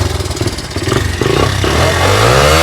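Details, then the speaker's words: 1982 Honda XL80S single-cylinder motorcycle that sat for years, just kick-started: lumpy, uneven putt slowly evens out and picks up revs; cold engine still warming up. "Oh, not too much. Let it warm up. Oh, see, it's still got to warm up a little bit. So let's let it warm up."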